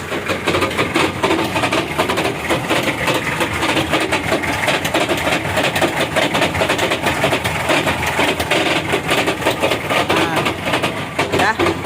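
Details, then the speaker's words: 2013 Mitsubishi Strada Triton GLX, 4M40 2.8 L diesel, in 4x4 with wheels straight and brake applied: fast uneven knocking, main damage at the transfer case chain or its upper and lower sprockets. "Jadi, ketika rem ditekan dalam posisi lurus, akan terdengar suara ketukan; Kerusakan utama terjadi pada rantai atau pada roda gigi atas dan bawah rantai tersebut."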